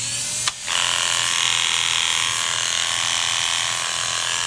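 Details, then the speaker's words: Cheap Chinese-made hair clipper blade just after sharpening: loud, harsh, rattly buzz from poor blade tension. Adjusting the tension makes it sound much better. "sounds terrible now I'm going to show you how I adjust them with a handy dandy tool from The Edge Pro"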